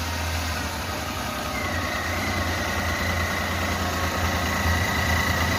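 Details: Renault Kwid petrol engine idling before cylinder head removal: lumpy, uneven thrum as a cylinder misfires; one cylinder not working, engine cuts out when run; cylinder head to be removed and reinstalled.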